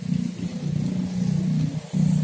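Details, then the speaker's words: Honda Scoopy injection scooter (2018 or 2019) sputters at half throttle, revving unevenly and nearly dying, as fuel pressure drops from 4.2–4.3 to below 20 then recovers; likely air bubbles in the fuel line from an airtight tank cap vent starve the engine. "Ternyata setelah kita amati bro, dia kayak berangin, masuk angin ya bro. Mungkin di selang ini, di selang dari minyaknya sini yang disedot ini masuk di sini, dia berangin mungkin bro. Kayak ada gelembung-gelembung udara sehingga dia mati."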